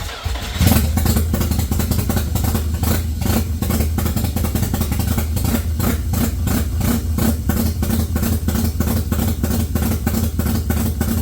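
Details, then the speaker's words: 1989 Mazda RX-7 Turbo II, first run under its own power after engine reassembly: choppy, stumbling rotary idle with uneven pops and surges; cause not yet found, still to check connections and fix the fuel return. "Sounds kind of ugly, but she's running under her own power right now."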